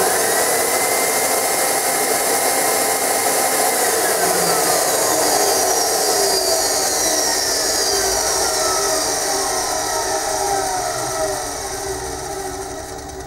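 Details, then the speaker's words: Aussie Vac AV1400 ducted vacuum, about 10–12 years old, after carbon brush replacement: steady smooth high whine with faint bearing rumble easing at spin-down; motor working, slight bearing noise normal for its age. "as you can see the motor is now functioning there is still a little bit of bearing noise although that is quite normal with the age of this machine"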